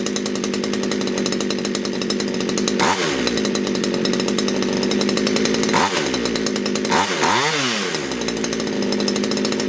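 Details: Poulan Wood Shark chainsaw with a no-start problem, after the low jet was leaned out slightly: screams at a high, uneven idle, then bogs and dips several times as it loads up; flooding, owner suspects a sticky needle and seat.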